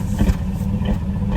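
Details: 2008 Chevy Silverado 4.8 LS V8, loaded with garbage while driving: sudden misfire and power loss, deep lumpy stumbling note, no engine light; owner suspected fuel pump, but one cylinder bank had lost its coil ground.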